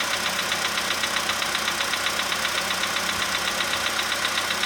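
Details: 2015 VW Polo sedan cold idle, engine at +5 °C, outside −2.5 °C: crisp even ticking about four per second; owner suspects cold valve or hydraulic lifter, unconfirmed.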